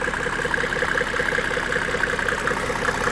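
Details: 1995 Mercedes E300 diesel (W124): an even, steady diesel clatter at idle with a regular beat and no misses, knocks or odd noises. A healthy idle.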